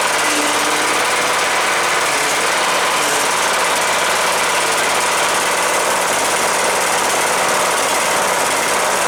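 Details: Cub Cadet LTX 1045 Kohler Courage engine after fixing a screwed-up counterbalance that caused knocking after running low on oil, with new oil: steady even run, consistent hiss, no heavy knock; normal running.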